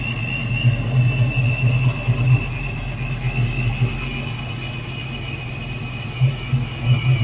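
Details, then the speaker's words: Old-school supercharger on a Foxbody Mustang V8 at idle: steady, high, thin straight-cut gear whine over a rumbling idle, normal for this blower (capable of 500+ hp); quieter versions exist. "i mean come on guys you gotta love that sound and if you don't like that sound they make one that's not that loud so with that being said i love the supercharger definitely a good option for you guys"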